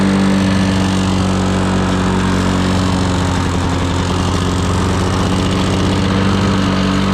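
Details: Lawn-Boy 10550 two-stroke push mower after priming: steady, fairly low drone that never climbs to crisp full-throttle pitch; not reaching full RPM though throttle travel is full; suspected dirty all-plastic carburetor with air-vane governor or unknown adjustment screws.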